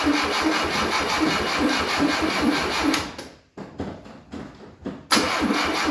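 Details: 1972 Fiat 850 Sport Spider, sitting 22 years, with fresh gas, new filter and lines: catches and runs, then sags and stumbles before picking back up; owner suspects carburetor issues; rough running.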